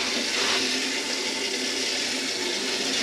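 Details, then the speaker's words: Concealed toilet cistern on a bathroom remodel, water just turned on to fill and test: steady, even hiss of running water that never shuts off, passing a little then a lot; fill valve not seated, letting water through into the pan. "passing a little bit yeah no it's passing along lot"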